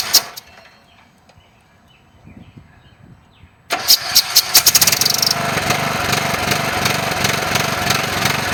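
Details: Briggs & Stratton riding lawn mower with compression release issue, muffler resealed with JB Weld compound: fires up quickly and settles into a steady, even run with no misses.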